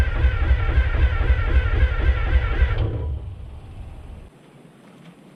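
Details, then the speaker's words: American 25 excavator diesel, batteries boosted with Group 31s, cranks with steady rhythmic chuffing and catches briefly on starting fluid (laughing gas), then fades and dies; not running on diesel, fuel not reaching motor suspected; oil pressure came right up. "That sounded promising, but that was just on the laughing gas. It is not actually running on diesel fuel."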